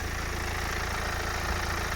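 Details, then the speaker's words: BMW 318d E91 Touring diesel, about 160,000 miles, bonnet open: steady, even idle clatter with no ticking or timing chain noise; runs fine. "absolutely fine there's no ticking move away you can hear me there's no ticking there's no sounding of that timing chain problem"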